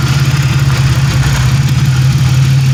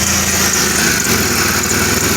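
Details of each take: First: Rusty 1997 Pontiac Grand Prix GTP coupe, running: steady, even low idle, smooth rumble, no knocks or misses; normal idle. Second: 1997 Pontiac Grand Prix GTP coupe, exhaust manifold to down pipe joint freshly bolted, held by only one bolt: loud rough idle with sharp puffing tick on each firing pulse, exhaust escaping, manifold leak.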